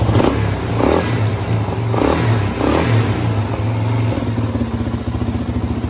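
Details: 2006 Suzuki DRZ400S single, bought cheap as an intermittent non-starter, now running while the idle speed is adjusted; low, slightly uneven thumping idle with speed wandering as it's set, no knocks; normal idle.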